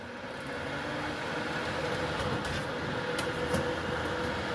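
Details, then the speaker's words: Late-1980s/early-1990s Lakewood model 767 space heater (120 V, 1500 W), back cover off, fan motor bearings freshly oiled: smooth steady hum, even whirr, no scraping or squeal; motor spins freely. "So, it seemed to loosen it up and still spins very freely."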